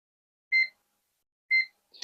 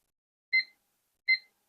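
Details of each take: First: Kaon HDREC VM9130 satellite decoder with reboot fault, multimeter in diode mode on component L1: two short clean beeps then a faint click; all pins read a diode drop, no short or low resistance, component good. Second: Kaon HDREC VM9130 satellite decoder that reboots and loses audio: removed burnt capacitor tested on multimeter continuity gives two crisp high-pitched beeps; capacitor is shorted.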